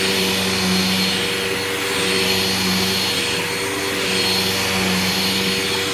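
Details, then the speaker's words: Old vacuum that spews dust: steady high squeal over the roar, holding pitch; owner suspected the brush roll going out, but after it sat it seemed okay; source unconfirmed. "squeaky squeaky squeaky squeaky squeaky I think the brush roll on this is starting to go out too"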